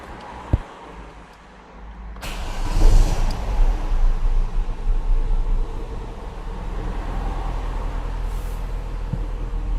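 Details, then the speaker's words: Petrol Opel/Vauxhall Vectra after new spark plugs fitted and fault codes cleared: engine cranks, catches and settles into an even, steady idle; misfire is gone. "as you can hear the misfire is now gone so that's been a success"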